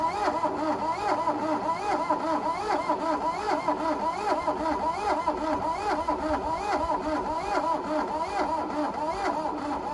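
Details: 1982 VW Rabbit diesel Caddy pickup that sat 20 years in a junkyard, fed from an external fuel jug, oil filter leaking: the starter turns it over slowly and unevenly for ten seconds without firing. Cranks, no start.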